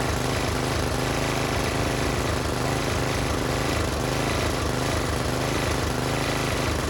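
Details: Tiller engine with new China-made carburetor, spark plug, air filter and fuel line, idle screw adjusted: single-cylinder pops at a fast steady beat with even rough exhaust bark, holding speed; runs fine.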